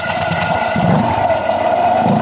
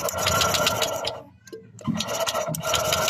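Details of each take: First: Honda Click 125 after valve clearance readjusted (0.05 mm feeler) to cure loss of compression and hard start: engine catches and settles into steady, even running with no misses or tapping; normal running. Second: Honda Click 125 scooter after valve adjustment: fast, light, even cranking with no firing over repeated tries; intake valve clearance suspected set too tight, causing loss of compression.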